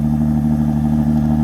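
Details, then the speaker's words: Jeep Grand Cherokee Limited X V6 just after cold start at about 20-something degrees: strong, even low rumble, no knocks or ticks; healthy smooth idle. "That reminds me so much of the sound of my 1975 Fiat X19. It was a 4-cylinder, 5-speed."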